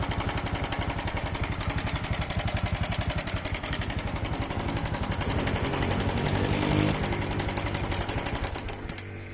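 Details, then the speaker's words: Honda Wave 125 / Dream 125 engine at idle: with the cam chain tensioner released, a fast, steady metallic clatter of about four per second returns; slack cam chain from a failed tensioner, silent when held tight. "เห็นมั้ยครับเวลาผมคายกลับใช่มั้ยครับพอคายกลับเนี่ยอ่าโซ่ก็จะกลับมาดังเหมือนเดิมเพราะว่าอะไรครับเพราะตัวดันโซ่เนี่ยมันเสีย"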